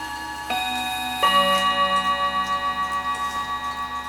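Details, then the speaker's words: Hamilton carriage clock with balance escapement, bought needing oiling and escapement repair, striking before servicing: clear, even bell notes over a steady tick near 214 per minute; the chime works normally. "it's a very nice sounding clock."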